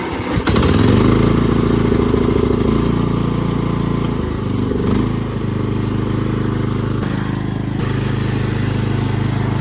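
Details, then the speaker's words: Cub Cadet lawn mower, non-running, that only needed gas: fires up quickly and settles into a steady, even low drone with no misses, running normally. "gas so that's great new guys that was all that was needed for the cupc that just needed a little gas that thing is ready to go"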